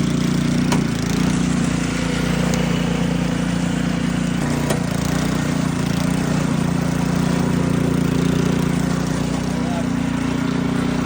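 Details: SnoTek by Ariens 28cc snowblower engine after carburetor ultrasonic cleaning, fresh gas and choke: small single-cylinder engine settles into a steady, even putter with no misses or surging; runs smooth and healthy.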